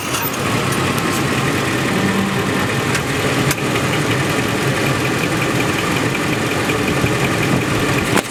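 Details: 2004 Ford F150 4x4 on dry pavement while turning: steady gritty scraping rasp with sharp clicks over the engine, front differential grinding because the shop left it without oil; fine driving straight.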